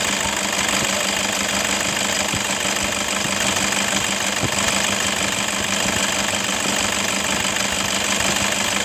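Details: 2011 Toyota Fortuner 2KD 2.5 L diesel, idling, with a rough engine noise complaint. A harsh, gritty rasp from the belt tensioner and a jingling rattle from the idler bearings (upper and lower) sit over a steady idle. Worn tensioner assembly and idler bearings.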